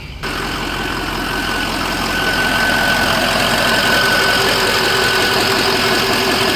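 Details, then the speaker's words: 2004 Ford F350 6.0L Power Stroke diesel after a Sinister Diesel adjustable fuel block (blue spring) upgrade; restarted just to record the sound. Steady, even idle clatter with a clear high turbo whistle. Healthy idle. "Definitely started it back up just to record that noise. Ain't nothing like a turbo. They sound amazing."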